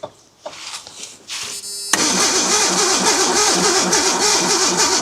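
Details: Abandoned Ford Bronco II, fuel pump not heard running and no voltage at the pump: even starter cranking at about three and a half turns a second, never firing; crank-no-start, fuel supply suspected, not confirmed.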